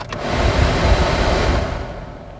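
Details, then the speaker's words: Chevrolet Tracker LT 1.0 Turbo automatic while driving: the A/C blower at maximum speed gives a loud, steady rushing-air roar with hiss on top, already a bit noisy at lowest speed; a loud blower fan at maximum. "o ar condicionado tá na velocidade mais baixa um e um pouquinho barulhento escutem só no máximo"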